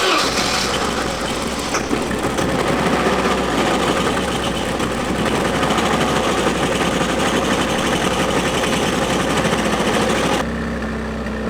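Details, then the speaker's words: 1988 BMW E30 M3 left non-running nearly a decade; pitted cylinder walls, one cylinder lower compression. Uneven, lumpy idle with irregular stumbles, not firing cleanly on all cylinders. Rough running; fuel pressure in doubt, cause unconfirmed. "So, it it runs. It's not happy, but it runs. Yeah. What are your What are your thoughts? It's running, but still not running good enough."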